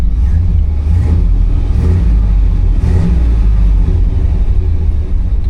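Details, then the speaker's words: Suburban after warming up, no service engine soon light: strong low note rises and falls cleanly with throttle, no misses, knocks or rattles; sounds good, probably needs only a tune-up. "That sounds good. I think we can just get by a tuneup."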